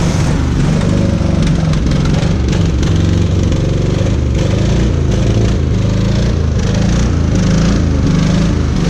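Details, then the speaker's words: 56-year-old Oldsmobile Rocket 88 V8 fired after sitting over 20 years, with a little fuel poured in; loud lumpy uneven misfiring beat with a stumbling rhythm that never settles, and it backfired. "Michael, as the rain starts. Don't try that one, that backfired there."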